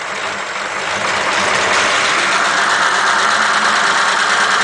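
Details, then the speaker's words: 1941 Ford pickup flathead that wouldn't rev, with electronic ignition bypassed by a temporary wire from coil to distributor: even settled idle with steady regular beat, no misses; normal idle. "now that sounds better doesn't it"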